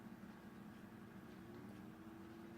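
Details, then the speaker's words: Newly built desktop PC with stock CPU cooler at first boot into BIOS: soft, steady hum with a faint whirr and no rattle or ticking; cooling fans running quietly and evenly, normal fan noise. "loving how quiet this thing is"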